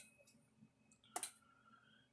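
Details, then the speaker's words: Kencove K8 electric fence charger, powered on with its cover on after the board was cleaned: clicking and thumping with sharp double snaps about a second apart; arcing on the circuit board where it was cleaned. "It's clicking, thumping again. Oh. Heard an arc."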